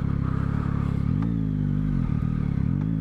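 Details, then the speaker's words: Yamaha motorcycle with Y-AMT automated gearbox, slowing down: drone drops in pitch with a sharp clunk at each downshift; rider suspects it is more noticeable when cold, harsh engagement. "ouais vous entendez le claque là ça c'est le la boîte qui sort"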